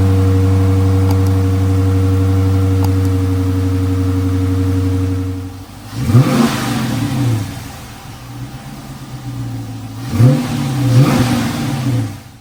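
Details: Retired Michigan State Police Dodge Charger Pursuit V8 being built into a supercharged widebody, new exhaust with rear mufflers still on: cold start, steady deep idle burble about five seconds, then two clean sharp revs; healthy.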